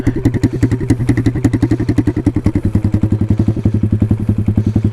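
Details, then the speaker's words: Taotao DB17 125 pit bike running straight-piped after its exhaust came off: a loud, raw, popping bark at about four firing pulses a second with no muffling. "i don't know if you can see this we kind of just straight piped our bike"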